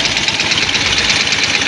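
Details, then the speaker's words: Yamaha Jupiter Z1 with rough engine sound and top speed only 60–80, exhaust muffled to listen: fast, harsh metallic rattle over a quiet idle, clearest at one spot on the engine; source unconfirmed, camshaft area suspected. "Tetapi ada juga suara di bagian hiu eh kita buka lagi itu juga juga full restore lagi nah nah di sini juga ada suara menggelitik ini terdengar jelas di bagian sini tapi kasar begitu"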